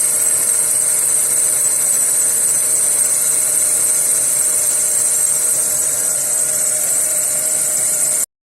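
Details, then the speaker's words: Skoda Fabia 1.4 MPI cold morning start: smooth idle, no knocking (the valve-cover ticking appears only when hot), with a steady high whistle from the drive belt that the owner attributes to moisture. "Нічого не стукає, там свистить трошки ремінь, це від вологи, вчора був"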